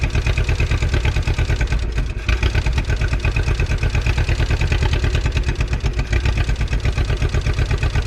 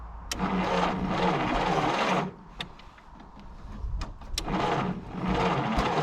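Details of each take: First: 1951 Willys CJ3A Jeep four-cylinder, off the road since 1969, with the fuel line gravity-primed and the fuel pump working: deep, steady chugging idle at about three beats a second with no knocks or misses. Normal idle. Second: 1951 Willys CJ3A Jeep, off road since 1969, weak spark and low 6-volt battery: two bursts of slow, uneven cranking with a small pop; turns over but no start, possibly flooded.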